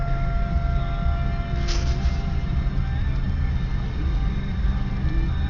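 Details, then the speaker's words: Supercharged Buick Regal 3800 Series II, 235k miles, cold start in snow after sealing a vacuum leak with heat-shrink rubber: steady, even high idle with deep constant rumble, no hunting; rough idle fixed. "See the idle engine's decently cold. So, it's going to be a little bit higher. Goes into high idle when you start it."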